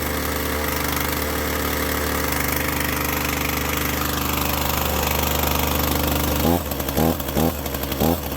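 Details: Chainsaw after oil was mistakenly put in the fuel tank, then drained and refilled with gas: a steady two-stroke idle, then sharp throttle blips that rise and fall cleanly. Runs properly.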